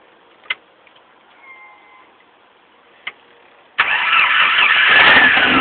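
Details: 1989 Jeep Comanche 2.5 L: quiet clicks, then the engine cranks and catches into a rough, uneven run with a ragged roar. The cause is a bad fuel pump, which should be checked before taking the throttle body apart.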